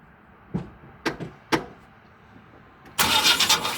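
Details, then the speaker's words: 2000 Chevy Express 3500 in Iowa winter, weak battery on jump cables, clunk heard after long cranking: slow uneven heavy thumps as starter labors, very hard crank with engine jerking, then rough burst as it nearly catches; cause unknown. "Not sounding good. That's the noise it's been making. I don't know what it is. Sound like it wanted to start that time."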